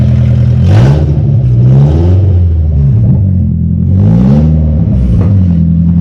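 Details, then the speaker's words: 1974 Datsun 620 truck with KA24DE swap from a 1997 Nissan 240SX, before the new exhaust: very loud, raw unmuffled bark rising with two sharp rev blips. Excessively loud straight-piped exhaust. "The biggest downside is that it is horrendously loud currently. Go ahead and start it up so we can hear how horribly loud it is. Rev it."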